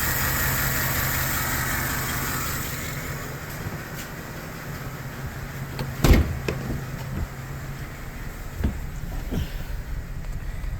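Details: 2008 GMC Sierra 5.3L V8 idling with a low, uneven lope and white smoke, misfiring on cylinders 1, 4, 6 and 7 because collapsed valve lifters keep valves from opening; no knocking. Fix: replace lifters, block cylinder deactivation, retune.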